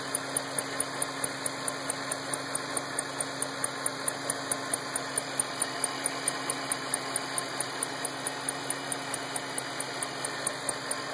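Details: 2008 Shelby GT500 engine ticking at idle: sharp, light, steady tick about one and a half times a second over a quiet idle; cause unclear.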